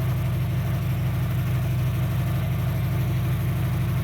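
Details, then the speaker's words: 2003 Dodge Neon 2.0 with a new timing belt and rebuilt head; 190 psi compression on all four. At idle with a plug lead pulled there is no change: a lumpy, uneven pulse with a dull thump. Two cylinders are dead from a failed coil, so it runs on two. "No change in the engine, see? There's actually no change in the engine in this one either, because I did this one already. Yeah, so these coils here are dead."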